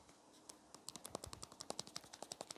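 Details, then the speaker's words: Loose stabilizer mount on an 8kg Fisher and Paykel front-load washing machine, held up to the microphone and wiggled by hand: sharp, irregular dry clicks about ten a second as the part rocks on its loose mounting pin. "if you have a look where it's connected so it's that this dodgy camera work just here this part here it's kind of you can wiggle it"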